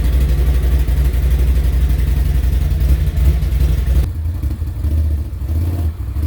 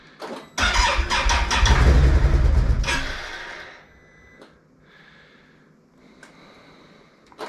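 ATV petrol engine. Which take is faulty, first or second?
second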